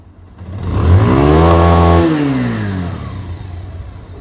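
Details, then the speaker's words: Old first-model Bajaj Pulsar single-cylinder after engine rebuild and modified clutch housing assembly: clean rev climbing smoothly and falling back evenly, no knock or rattle; healthy engine, expected smoother after 200-500 km oil change. "তো বাইকের আপনারা ইঞ্জিনের sound শুনুন। এই model বাইকের sound কীরকম হতে পারে সেটা আপনারা ভালো করেই জানেন, যেহেতু আমি আপনাদেরকে সাউন্ডে দেখাইতে পারি নাই, বাট এখন দেখেন শোরুম গাড়ির থেকে সাউন্ড ভালো হয়েছে ইনশাল্লাহ।"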